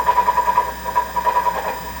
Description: August 2022 Treadmill started making rumbling noise. NOT the front roller because I changed the front roller to a brand new roller. The noise did not go away. The noise is coming from the motor.